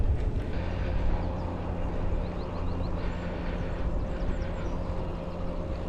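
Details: Mahle X35 hub motor (no crank gearbox) on Ribble CGR AL e e-bike, climbing in low gear, slow pedalling with motor doing most of the work: faint steady whir under heavy wind and road rumble; quiet, smooth, normal operation.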